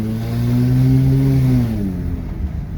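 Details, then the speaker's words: Kia at about 200,000, on a test drive after its plugged air filter was cleared, accelerates with a smooth rising tone and no misfire or stumble; the car now pulls properly. "Let's go, push it. Let's go, the car is go. The car is go. The car is go, man."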